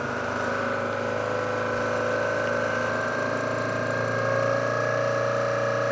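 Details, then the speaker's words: Rebuilt 1982-84 Sportster Hitachi generator on a test stand giving full output of about 12-14 amps: a constant mid-pitched whine with a faint higher tone; the cause of this abnormal noise is unknown. "12 not sure why it's making that noise but full output just like the other ones"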